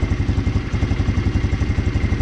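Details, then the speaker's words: GY6 150cc four-wheeler just fitted with a new carburetor: fast, even single-cylinder thumping at about nine beats a second; the idle sits a bit high and the idle air control valve may need adjusting. "i got it that's a little high though you may need to adjust that idle air control valve that i showed you right right in there yeah"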